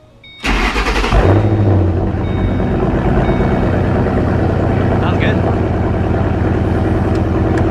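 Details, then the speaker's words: Ford 3V Mustang GT (V8) first start after installing shorty headers, with BBK parts: brief starter whir, catches with a deep blip, then even, loud, throaty idle; sounds beefier, healthy. "sounds pretty good it's loud is it yeah it sounds beefier for sure"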